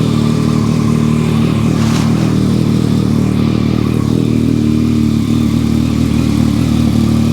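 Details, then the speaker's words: Owner's motorcycle, left sitting covered in the garage a long time, starts after an initial no-fire; steady, even engine note with a smooth low beat and no knocks or misses. It still sounds good, running on ethanol gas. "well she still sounds good I need to run it a little while it's got ethanol gas in it anyways"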